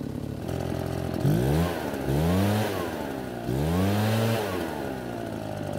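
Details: Nearly new Redmax EBZ8500 backpack blower, two-stroke, after repeated flooding and a modified starting procedure (unchoked clearing pulls, then choked); it fires and revs cleanly up and down with smooth pitch changes and no sputter, a normal start and run.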